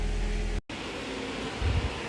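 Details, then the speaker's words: 2019 Chevy Camaro 3.6: engine switched off, yet radiator cooling fans keep running with a steady whooshing roar; temp gauge needle doesn't move, intermittent P0128 check-engine light. "And I turned the car off. And you can hear those fans. The fan is still running. Alright, that's not supposed to be like that."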